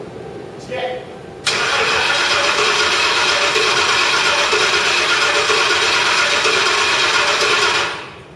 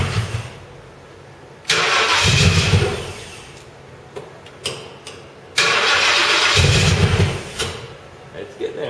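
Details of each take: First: Crown Victoria after a full engine rebuild, cranked with the computer fuse pulled to circulate oil before the first start: steady, fast, even starter churn for about six seconds, engine spinning freely without firing. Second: Crown Victoria on first start after a full engine rebuild (previously seized engine): the engine catches and immediately races hard toward redline in two long surges without settling to idle; throttle suspected stuck open, though this is disputed.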